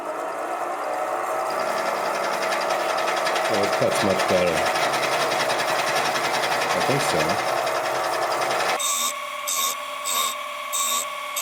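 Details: Mill cutting with a homemade torch-hardened A2 tool steel dovetail cutter, ground without back angle: steady spindle whine with cutting chatter under load, then rhythmic on-off bursts; cutter cutting well.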